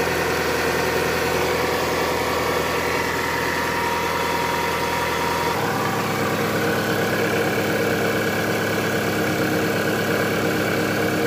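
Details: Toyota Camry 35 2.4 2AZ 16-valve at idle: dull, uneven knocking under the engine note, bottom-end wear from a worn balance shaft.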